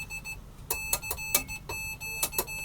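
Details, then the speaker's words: Homemade Morse keyer: clean high beep in steady dot-dash rhythm, no crackle or dropouts; working properly. "I've only done this for fun just to show that the electronics works"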